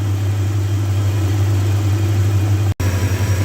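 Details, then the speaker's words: 2001 Dodge Ram 1500 after swapping in a good used engine to replace one needing a crankshaft, first run warming up: deep, even idle burble with a steady hum, no ticks, knocks or stumbles; a nice running engine. "that is a nice running engine I have to say"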